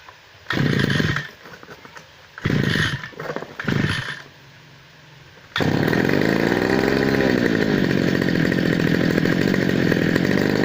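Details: Two-stroke grass cutter that was hard to start, after cleaning a dirty spark plug with gasoline: a few pull attempts and short bursts, then it fires and holds a steady buzzing run without cutting out.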